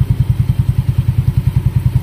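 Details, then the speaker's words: Yamaha Mio Sporty scooter after CVT maintenance, no tuning washer fitted: even, low thumping pulses at a steady rate with no whine, rattle or scraping from the belt drive; quiet, clean, normal CVT running. "Ayun oh. Ganda. Walang kakatunog-tunog. Okay din naman oh."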